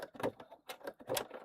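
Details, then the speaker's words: Sewing machine basting a dog-walking bag through about eight folded layers; slow, labored stitches with a loud pop each needle stroke, roughly two per second; needle possibly too small: needle struggling through thick fabric layers. "Yeah, that's not liking that. You can hear that popping. That's cuz the needle is having trouble going all the way through."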